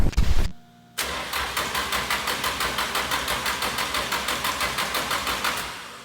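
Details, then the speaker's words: Nissan SR20DET on its first start attempt after installation: the starter spins the engine in an even chug of about four or five beats a second, but it never fires. This is a crank-no-start, and the ECU fault light pointed to a cam angle sensor fault. "So got it all in, like ready to start and everything, went to go crank it. It just turned over several times and never actually fired up."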